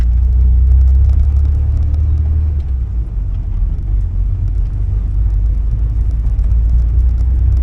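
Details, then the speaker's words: 1979 Porsche 924 road test after fuel system cleaning, a new filter and an alignment: steady, deep engine rumble under road noise, smooth and even with no knocks or rattles. Oil pressure and charging good, warm temperature mid-gauge. Engine sounds healthy. "it had lots of power making noise but not bad noise I think we're okay"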